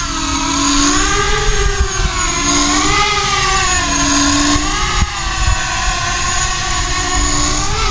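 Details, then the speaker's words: ArduCopter 6-inch race quad in stabilize and alt hold, climbing and descending so motor RPM sweeps to hit the frame resonant frequency for an FFT log: motor whine rises and falls with a buzzy mid-range edge, frame resonance. "if you go up and down the motor RPM is going up and down and with any luck you can hit that frame resonant frequency"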